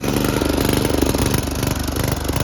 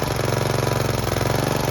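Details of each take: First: Snapper riding mower with an aftermarket Chinese carburetor whose needle and seat leak: it runs lumpy and uneven, loping and stumbling about three times a second, and puffs black smoke. The float is stuck down, flooding the carburetor. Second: Snapper riding mower with an aftermarket Chinese carburetor, after the float bowl was reversed so the float can no longer sink and stick: fast, even firing at a steady speed with no hunting or stumbling. The flooding is fixed.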